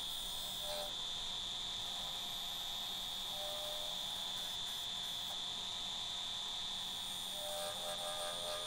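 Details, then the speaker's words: Wood-turning lathe spinning an ash bowl blank with a steady piercing high ring over the cutting noise; vibration and resonance, suspected from the blank not seating properly on the wormscrew or slightly stripped threads from overtightening. "i was getting a lot of vibration from this piece of wood and i think what it was it didn't quite seep properly on the woodworm screw"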